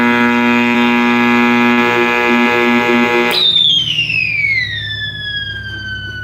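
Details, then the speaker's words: 1960s General Electric black-and-white TV, back off, powered up after the tube was dealt with: loud steady buzzing hum with a high whine, then a howl dropping in pitch, from the speaker; audio fault persists, cause unknown. "No, I don't. I do not have a dim bulb setup, but it sounds like it's coming out of the speaker."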